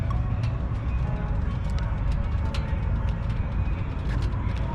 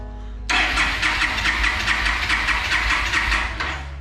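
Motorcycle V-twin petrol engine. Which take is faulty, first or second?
second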